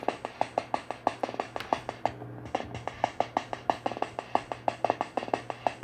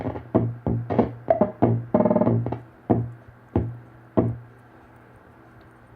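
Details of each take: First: That kind of sounds like a brush. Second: 1974 Hammond Auto-Vari 64 drum machine under repair: irregular clicky drum hits about three a second, pausing then resuming, voices thin and harsh; working again but badly distorted, owner suspects the wrong pot in the high-frequency section.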